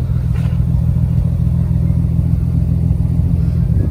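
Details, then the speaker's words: Warm Nissan 300ZX Z32 project car after installing junkyard parts; steady, even low idle, smooth and very quiet, with only a faint lope and no ticks or knocks; normal healthy idle. "got a little bit of a lope but it's not verbally so this thing is idling smooth and quiet oh my god very very quiet"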